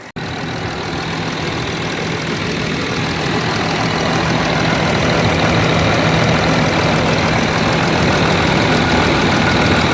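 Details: 2009 Land Rover Discovery 3 diesel, 150k miles, first start after a DIY timing belt replacement: steady, even diesel clatter settling into a smooth idle with no knocks or misses; engine sounds normal.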